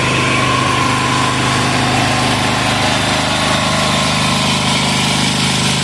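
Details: 186FA single-cylinder diesel running on Road Tech synthetic blend 10W-30 motor oil as fuel at about half throttle, smoking, before the fuel runs out. An even, rapid thumping at a steady beat with no stumbles; it runs cleanly.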